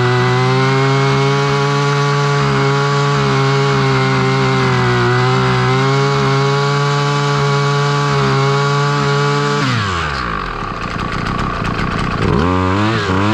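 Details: Husqvarna 553 RBX brushcutter two-stroke, previously non-running, after its blocked hole clogged by an insect nest was cleaned: steady firm drone, then quick throttle blips revving up and dropping cleanly; runs properly.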